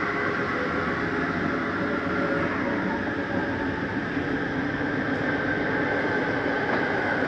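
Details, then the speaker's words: 2018 Forest River Ultra V 2618 RV slide-out retracting: smooth, steady motor whir at one even pitch with no grinding; brief noise at the end is the mechanism signaling fully in, normal. "do want you to hear that noise because it's okay to hear for just a second it's just a slide mechanism saying i'm all the way in it's nothing grinding don't panic when you hear it"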